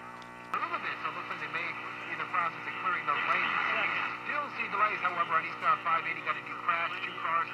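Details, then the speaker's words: 1950s Silvertone AA5 clock radio with one IF transformer, tuned to distant KCBS San Francisco after 12BA6 tube substitution: very weak broadcast fading in and out over steady buzzing hum (buzz attributed to the light); something is wrong with the set. "there it is it's very weak that buzzing is the light"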